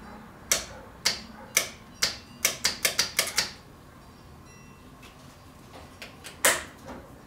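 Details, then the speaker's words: Car cooling fan relay clicks sharply, about two a second then quicker, but the fan never spins up and gets no power; suspected wrong polarity after the wiring feed was moved from passenger to driver side. "Well, it clicks, I just have the wrong poles. Because I flipped the wiring."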